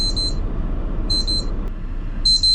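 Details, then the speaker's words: HOVER Air X1 Pro Max drone flown in freezing cold: the spoken alert "Low battery, please return immediately" plays over repeated high-pitched beep bursts about once a second, with fan and wind noise, as the drone drops. Low battery warning. ">> Low battery. >> Oh, >> please return immediately."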